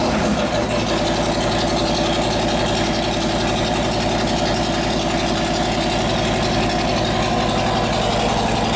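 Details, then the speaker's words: S&S 93ci alt/gen Evo with panhead rocker box conversion in a Harley chopper, about 250 miles after sitting around 12 years, after no-oil-pressure repair: steady loping idle, no knocks or ticks; oil pressure now present, oil tank half full and foaming. "Burning all the crap off of it. Alright, well it runs."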